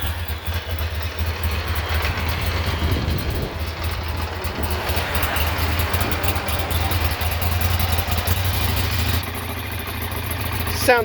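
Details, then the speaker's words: 2009 Ducati Monster 696 at startup on the stock exhaust, before the Two Brothers pipe, K&N filter and Power Commander install. Low, even twin-cylinder burble at steady idle, soft and muted with no knocks or misses; normal idle. "Sounds like a quiet Ducati. That's about it."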